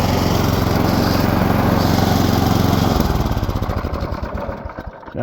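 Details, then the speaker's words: Two-stage snowblower, auger engaged while frozen solid with ice (belts later found destroyed): steady engine drone suddenly bogs into slow, heavy chugging as the drive engages and the auger won't spin. "I can tell already that it's not going to spin again I think it's jammed up with ice"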